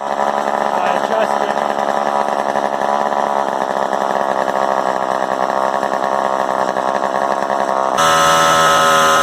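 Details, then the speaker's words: Vintage Craftsman chainsaw 358.355160 after fuel line repair, running with no throttle: steady high scream well above normal idle, then jumps higher; idle too fast, owner suspects an air leak and plans carburettor adjustment. "it sounds like it's got a air leak somewhere because it's got a really high rpm sometimes that's an indicator of uh apparently"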